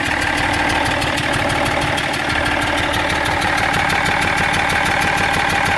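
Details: BMW 330d E46 diesel at steady idle: regular tapping knock about three times a second over the diesel clatter; abnormal engine noise no mechanic has been able to locate.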